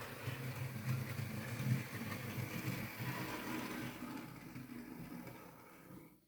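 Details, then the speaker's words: Hornby R2959 Thompson L1 2-6-4T OO model loco, used, after greasing the worm gear: soft, even motor whirr and low hum with no grinding or catching. Earlier grinding came from lack of lubrication; gearbox now quiet. "Yeah, that's sounding a lot better. Just greasing that worm gear has made all the difference."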